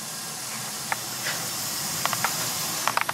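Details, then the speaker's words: Slant/Fin Galaxy GXHA-160EDPZ steam boiler one year after service, header piped with equalizer and Hartford loop, Hoffman 75 main vent: soft steady steam hiss, few faint ticks, no banging or knocking. Normal steam heating operation. "so uh we're going to run this for a few minutes so that we hear no knocking so i prove that but it's a quiet system"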